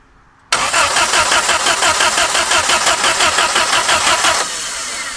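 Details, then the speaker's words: Abandoned 1950s-60s Willys Jeep truck at first drive attempt, full throttle with a little choke: steady starter churn about three beats a second for four seconds, no firing; no spark, coil believed burned up by leaving the wire on. "No spark. That's weird. Because the coil Yeah, the coil still acts hot. Oh, I left the wire on while we did the tires. I think I burned the coil up."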